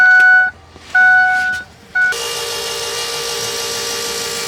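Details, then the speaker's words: FASS 220 fuel lift pump newly installed on 2006 Ford F250 6.0 Powerstroke, key-on priming on a cold day: chimes then a steady, fairly quiet electric whir at even pitch; pump running normally, not loud. "so it's not loud guys it's really not loud at all you really I mean yes you can hear it but it's it's it's not loud"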